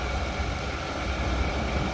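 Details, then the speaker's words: 1995 Chevrolet Suburban, OBD-1, not fully warmed up, after throttle body gasket replacement: deep, steady idle with no hunting or surging; before the fix the idle went way up and dropped way down. "this sounds consistent smooth i think that did it but we'll see all right that's it it's fixed problem solved nice smooth idle problem is solved"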